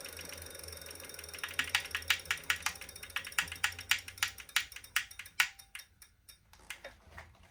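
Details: Wahoo Kickr Core trainer: sharp, regular ratchet-like clicking about four or five times a second, slowing toward the end, as it turns.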